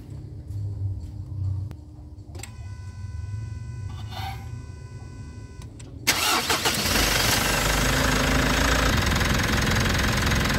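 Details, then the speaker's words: 2019 Mitsubishi Montero Sport GLS diesel after fuel filter element replacement and priming until firm: quiet cranking, catches at about six seconds, then a steady, even clatter with no misses or stumbles; runs fine. "Back to original na under niya, kaya napalitan na natin ng bagong fuel filter element at maganda yung kanyang andar."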